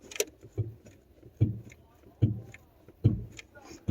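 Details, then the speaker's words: Mercedes S600 coupe rear strut upper mount, car rocked by hand on the good side: soft, dull thumps about once a second with no knock, unlike the worn opposite side. "And sure enough, this side is good, and here's how it sounds."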